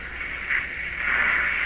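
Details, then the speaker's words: Hallicrafters S-53A receiver during wax/paper capacitor replacement, AM broadcast band: steady airy swooshing hiss instead of station at 860; suspected oscillation in the IF stage. "sure we used to get 860 here now we'll just get a swooshy sound that's not very reassuring is it"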